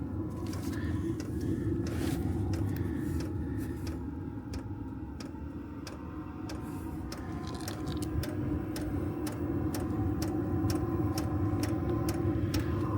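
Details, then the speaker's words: Chinese 12 V diesel heater running on kerosene, outside a caravan, just lit after priming: steady low combustion roar with a sharp regular tick about three a second from the fuel pump; normal startup. "Tapping noise, I think, is the pump. Something's fired."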